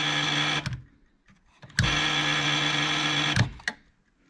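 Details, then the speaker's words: 1966 Ford Galaxie 500 with the key turned off: harsh steady buzz in bursts of about one and a half seconds with quiet gaps. Headlights-on warning buzzer working properly. "But watch when you turn the key off. That's the buzzer for the... if I leave the headlights"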